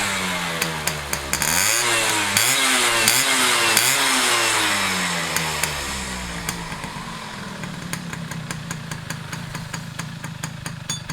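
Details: Restored Yamaha F1ZR two-stroke with a rebuilt stock (STD) engine and full clutch: crackling blips go up and down cleanly on the throttle, then drop back to a steady ringing idle; runs healthy after restoration.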